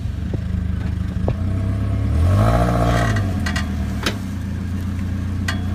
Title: clunky noise